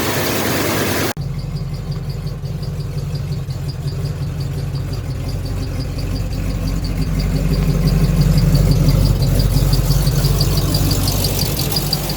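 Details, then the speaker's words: 1986 Chevy K5 Blazer V8, new long block after a blown head gasket, freshly started with timing set: after a click, a steady deep idle at about three pulses a second, smooth with no knock or tick. "I have the timing set everything's good to go start it up see how smooth it is"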